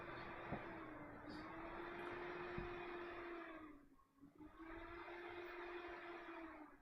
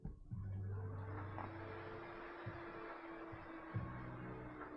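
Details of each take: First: ASRock motherboard on test: the fan hum holds steady, then dips and drops away before spinning back up, a power-cycling restart loop caused by a bad RAM slot on the motherboard. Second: Computer powered on after moving a known-good RAM stick to the other slot, suspected bad RAM module: fans spin up into a steady low hum with no beeps or clicking; normal power-on.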